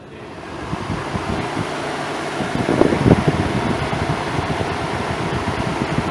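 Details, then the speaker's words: Car at 165° coolant temperature, radiator cooling fan commanded on with scan tool: steady rushing whoosh builds and stays even as the fan spins up; normal cooling fan operation. "I could turn the cooling fan on using the scan tool so come around here now once I hit this button you'll be able to hear the fan kick ass on"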